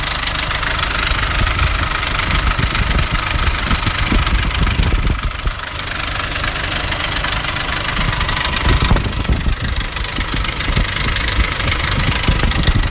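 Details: Nissan Navara D40 2.5 dCi diesel at idle: harsh chattering rattle over the engine mimicking a dual-mass flywheel; traced to a cracked intake manifold.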